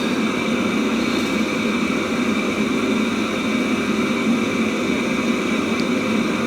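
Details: Webasto Thermo Top C auxiliary heater from a BMW E60, bench-run after repair with no errors. Even rushing blower noise with a smooth steady hum, no pops or cutouts; firing cleanly like new.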